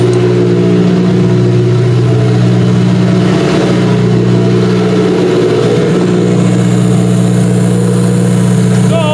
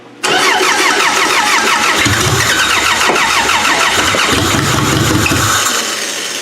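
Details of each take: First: Demolition derby car running after its first start since end of September (now February), newly fitted computer and fuel lines: smooth, even running with a steady low hum and one brief rev, then settles back; healthy. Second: Demolition derby car with the fuel pump switched on, starter jumped with a wire: the starter spins the engine with a steady rapid chug for several seconds but it never catches; cranks, no start.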